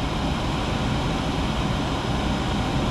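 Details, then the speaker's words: Nine-year-old furnace under warranty, blower motor on high stage (fastest speed) drawing 4.42 A within its rated running load: steady, even rush of air with low hum, no ticking, scraping or wobble; motor judged fine, capacitor likelier to fail first. "this one's we're running in high stage so that motor's running in high stage that's that's as fast as it runs"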